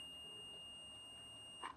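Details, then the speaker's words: Faulty UK RCD plug under continuity test with a multimeter, probing from earth pin to the middle point; single thin high steady beep shows the earth path is continuous. "you can probably hear it so the earth is continuous"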